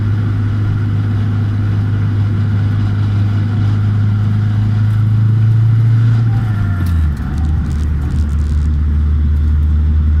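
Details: Nissan 200SX S14: engine drone falls as revs drop, with a faint steady high whine riding above it; source of whine unknown.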